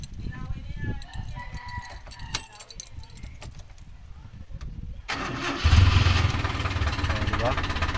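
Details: Toyota 4K engine that would not crank because of a broken ampere gauge connection, now reconnected; catches and settles into a steady, even idle with no stumbling, starting and running normally.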